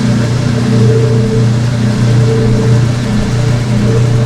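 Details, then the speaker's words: Old-style washer drain pump during neutral drain, microphone pointed right at it: loud, deep, thunderous steady hum with a slight throb, no scraping or rattling; normal drain pump operation. "Old old drain pump sounds. That is just thunderous sound. That's pretty damn amazing."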